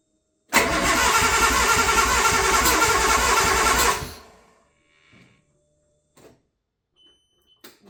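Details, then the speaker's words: Rebuilt Nissan RB20 cranked for the first time in five years: steady quick cranking at three to four turns a second, never catches; fuel pump runs, spark present, injectors suspected not working after long storage, cam half-moon piece broken. "Okay, so I'm trying to still figure out why this isn't running."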